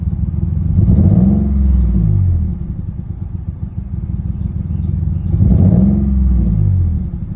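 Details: Nissan 350Z V6 idling after new spark plugs and coils: uneven, stumbling low rumble with misfires, throttle blipped twice.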